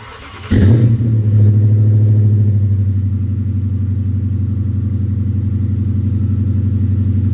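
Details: 2011 Dodge Charger R/T with a swapped 2010 V8, long-tube headers and 6.4 intake manifold, first runs after install: catches into a deep, even, throbbing idle with a steady beat; runs clean and sounds healthy, though the belt failed.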